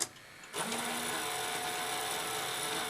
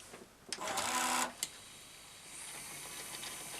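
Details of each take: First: Toshiba V-77B VHS video recorder, fast-forward before belt replacement: small motor whirs steadily with a faint squeal but cannot turn the pulley, then the machine shuts down; old sticky drive belts slipping. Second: Toshiba V-77B VHS video recorder, first test after replacing the old sticky drive belts, run with the top cover off. A few mechanical clicks, then a faint, steady high whir as the tape winds evenly. Normal fast forward.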